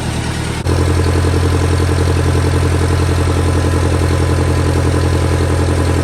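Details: Massey Ferguson 35 tractor, Continental Z134 engine, after a new radiator was installed: sharp start, then a steady, even low beat with nothing knocking; normal running.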